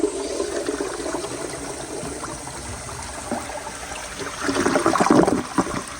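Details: 1999 Universal Rundle Atlas elongated comfort-height toilet flushing: a brisk rush of water builds then swirls out cleanly, with no gurgle, hiss or hammer; a good, healthy flush.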